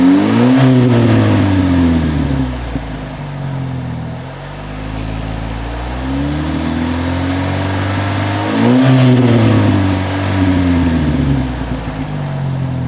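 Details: Chevy HHR with newly installed GM Performance/Borla exhaust: two clean revs rising and falling smoothly over a deep steady drone, no rattles or leaks; exhaust healthy and even.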